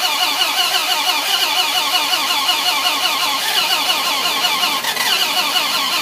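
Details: 2006 Dodge Ram SRT-10, owned one month, won't start: steady, even starter cranking throughout, but the engine never catches or fires; crank, no-start.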